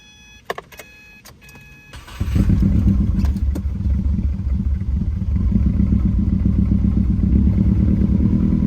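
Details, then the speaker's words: Car with a cylinder 4 misfire and random misfire. After a spark plug swap, cylinder 4 no longer codes but a random misfire remains. Idle relearn: an uneven, lumpy, stumbling idle after start, described as rough at first and then idling fine. "sounds pretty better now in the beginning sounded pretty rough as you can see right now it's idling fine"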